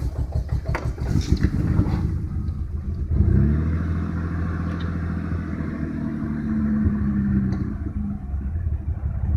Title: 1987 BMW 535is rough idle